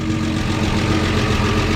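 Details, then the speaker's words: Resurrected 1953 Chevy 4100 truck inline engine idling on its own with oil pressure and no smoke: a busy, clattery mechanical chatter that is normal for its type, despite a sizable exhaust leak. "that's the way these things sound i know it probably sounds noisy to you but that's the way they are that's awesome back inside here it actually sounds really really good"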